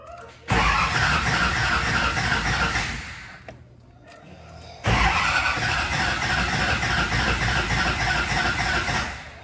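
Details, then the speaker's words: New SoCal Diesel twin-turbo 1,000 hp Duramax at its first fire-up: the starter chops steadily at about 3.5 beats per second in repeated bursts and comes close but never catches. Crank, no start; the wiring harness had not been re-pinned for the cam's firing order. "all right y'all so basically that just kept happening and happening and happening but it was so close to firing up that we didn't think there was anything wrong"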